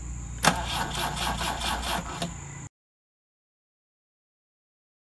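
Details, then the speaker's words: Fuel-injected engine transplanted into a BMW 2002 (a "fake" 2002tii), starter run directly from battery via jumper cables and remote starter switch, bypassing all car wiring: steady starter whirr with quick even chuffs, about four per second, for two seconds; starter spins normally. "we have just run the starter motor by connecting it directly to the battery with a pair of jumper cables and a remote starter switch and in doing so have bypassed every wire on the car"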